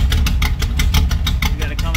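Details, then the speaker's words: 1964 Ford Falcon with performance-modified 1983 302 V8, no emission controls, high-octane gasoline, idling inside a closed garage: deep, uneven loping idle with steady exhaust chop, the normal lumpy sound of its performance cam. "it's the cam alright so I think it's time to shut this car off"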